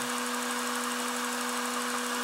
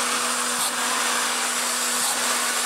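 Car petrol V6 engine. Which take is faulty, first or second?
second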